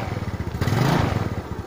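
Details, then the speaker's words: Yamaha Mio scooter, total no-start traced to ignition key switch wiring and fixed: now runs at a steady quick idle with a brief swell, no misses; back to normal. "Vâng, nó trở lại bình thường, vì"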